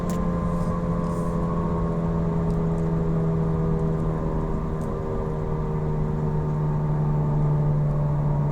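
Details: Car on Falken FK510 tires while cruising: constant low hum at steady pitch with no rhythm or clunks; loud tire road-noise drone suspected.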